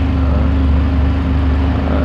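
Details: Used Benelli 300 twin-cylinder, about 19,000 km: low steady idle with even pulse, no knocks or ticks; runs smooth and healthy.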